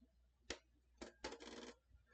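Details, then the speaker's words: PS5 Blu-ray disc drive that won't accept or eject discs and closed on an inserted disc, eject pressed: a sharp click, another half a second later, then a rattling clunk; cause unclear, possibly the rollers. "all right so i'm not sure if you guys can hit it or not but it was making like a loud clicking and clunking noise so um typically what something like that means is there's something obviously going on with the blu-ray"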